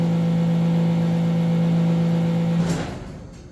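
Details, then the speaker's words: Harvest Right Large HRFDXL freeze dryer under a max-load test, after heater and vacuum pump shut off: steady freezer compressor hum cuts out with a brief rattling clatter as the compressor stops. "and you should hear the rattling sound as the freezer the compressor turns off"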